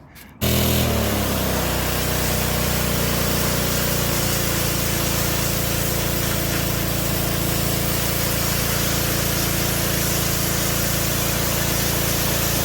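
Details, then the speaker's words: DeWalt DXP3123 pressure washer, Honda GSV170 engine, pawn-shop unit after repair/service, spraying water: catches at once and settles into smooth even drone under pump load, no misses; plenty of pressure, running well. "woo oh all right so got plenty of pressure seems to be working good"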